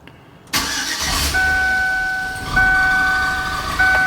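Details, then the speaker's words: Cammed Suburban V8 after a lifter-failure repair and DOD delete, primed first to build oil pressure, with stock manifolds, three cats and the stock muffler: it cranks briefly, catches cleanly and settles into a steady, even idle without ticking or knocking. "you go, good oil pressure. Another thing also, it's not gonna sound really loud with this cam. It would if he had an exhaust, but right now he still has stock manifolds."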